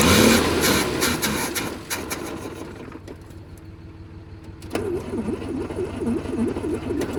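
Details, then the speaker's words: 1968 Kaiser Jeep M725 military ambulance, not run in over 15 years, fuel pump pumping but carburetor delivery uncertain: engine catches briefly then fades to a warbling crank; runs only on starting fluid, starving for fuel. "So, it appears that it's only running off of the uh starting fluid."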